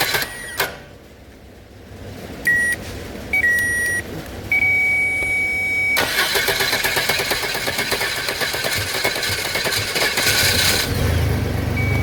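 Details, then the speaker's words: 1997 Chevy Astro van parked three years, jump-started with no ignition-switch signal reaching the starter (relay, switch or broken wire suspected): chime beeps, brief crank, then engine catches and settles into a steady, even run. "so the car starts but uh i'm not getting no power power to the power from the ignition switch to the starter so maybe there's a relay problem there's a switch problem or it could be or why it's broken somewhere so we'll have to take a look at that"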